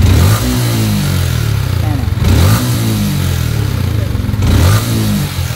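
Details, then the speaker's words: Sniper 155 motorcycle at 6,747 km, revved up and down with a light ticking over the engine note; likely loose valve clearance, though rocker arm, roller or worn cam also possible. "Oo dalawang klase lang yung mga ganitong tunog eh una sa lahat pwedeng luwag Yung kanyang valve clearance maluwag"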